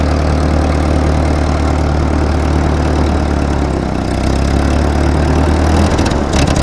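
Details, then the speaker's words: 1943 Ford 9N backhoe tractor, block has several cracks; deep, uneven, lumpy chugging idle with irregular beat, runs but needs help, rough running, cause not confirmed. "she runs not going to say she runs well she needs some help"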